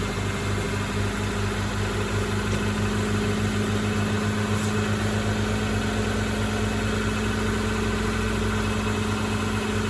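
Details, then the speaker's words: Integra after temporary exhaust patch with parts-store pipes and clamps, just started: steady, even idle with low hum, no ticking or puffing, no leak audible underneath; normal idle. "and I can see it's all engine noise there's no steam coming out by the cat no steam coming out here sounds quiet underneath"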